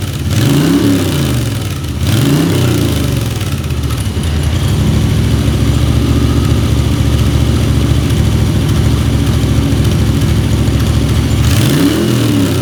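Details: Moto Guzzi twin, first start after a full top-end rebuild with new piston rings: it catches and settles into a steady, even beat, with clean blips climbing and falling freely; runs healthy.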